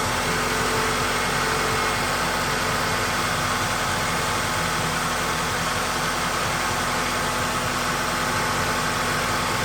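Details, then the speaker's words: Toyota 2.4 L engine (Tarago/Previa/Estima) after coil pack and spark plug replacement: steady even idle, constant hum, no stumbles or skipped beats; not missing, sounds good. "And you can start it up and make sure it runs. And it's not missing, and it sounds good."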